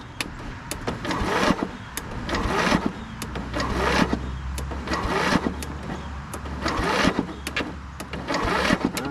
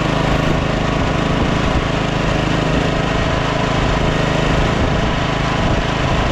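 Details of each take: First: Scotts 15/42 lawn tractor with electrical problem, starter jumped at the solenoid from a jump pack: sluggish, uneven cranking under a turn per second that never catches; jump pack not supplying enough current. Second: Scotts 15/42 lawn tractor single-cylinder engine, fired right up after jumping the starter, carb not cleaned: steady, even running at constant speed, no misses or knocks; healthy.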